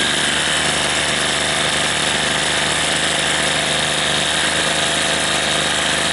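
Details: Troy-Bilt TB32 EC string trimmer after a carburetor replacement, with the high and low screws set a quarter turn out and the choke opened once warm. Steady high buzzing two-stroke note that holds speed without sagging or surging; it is running cleanly.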